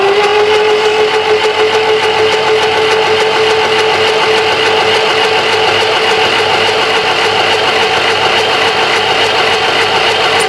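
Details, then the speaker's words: Willys Jeep engine, sat about 30 years, freshly reassembled with pistons installed and pan siliconed, cranking on battery: steady, unlabored starter whir about three beats a second; spins freely, no oil pressure yet. "Even the weeds on top of the cylinder. Actually goes pretty easy."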